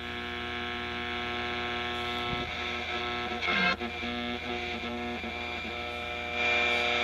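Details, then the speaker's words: Recapped, aligned vintage tube AM radio on a variac, volume slowly raised for baseline: loud steady buzzing hum with stacked even tones and crackle; mains hum and buzz from household electrical interference sources nearby. "now it's a very noisy set if I had just purchased this set or had brought it home from a repair shop and I was a general consumer I would be wondering what in the world is wrong with this radio"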